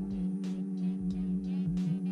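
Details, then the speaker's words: At key-on, in-tank fuel pump heard near rear seat: loud, low steady hum wavering slightly for a couple of seconds; pump judged far too noisy. "maintenant je vais donc faire un tour de clé pour vous faire écouter la pompe à essence que je trouve beaucoup trop bruyante"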